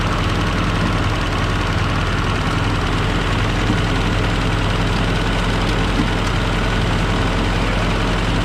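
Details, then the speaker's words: Military M718A1, first run after reassembly with no coolant yet: steady, even diesel clatter at idle with no misses, knocks or hunting, no smoke; normal diesel idle. "oh it's amazing sounds good even you know there's no smoke alarm freight train either"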